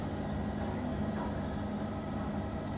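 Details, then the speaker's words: Bosch washing machine after rubber seal replacement; it used to make a very bad noise when loaded with clothes. Now there is a steady, even hum with no rubbing or knocking, spinning up to 1200 RPM: running normally and quietly. "you can see there's now no noise it's completely silent you can hear it silent"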